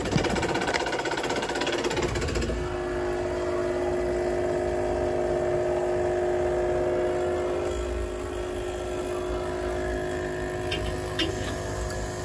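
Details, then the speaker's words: Buderus GB142 boiler, no heat, error C7, indirect-tank circulator running continuously: constant rough whirring hum with steady mid tone and gritty rattle; tank circulator pump worn and failing, replaced. "pump don't sound too [Music] healthy she's running sounds like this Circ is cut damn this thing your circulat is shot"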